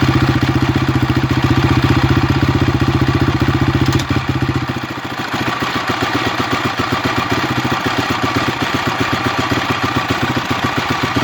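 Single-cylinder bike idling with a quick, fairly even ticking clatter riding on each firing pulse; something's rattling in the top end, cause unknown.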